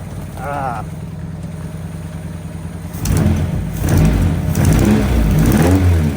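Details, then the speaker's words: 2001 Honda Civic EJ9 with D-series engine, last run in 2018, fuel pump primed about ten times: engine catches after about three seconds and settles into an even run with no knocks. "hey that'll do what it first go straight away no messing"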